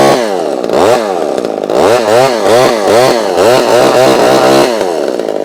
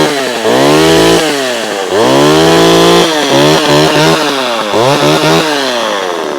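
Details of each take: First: Vintage chainsaw with an automatic oiler, run after little use: a loud two-stroke with revs rising and falling about every half second, hunting and uneven. It runs smoky, getting less so the longer it runs. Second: Vintage Homelite chainsaw with a thumb-pump oiler, started ice cold: a crisp two-stroke buzz revs cleanly up and down several times, even and responsive with no bogging or misfire; saw runs healthy.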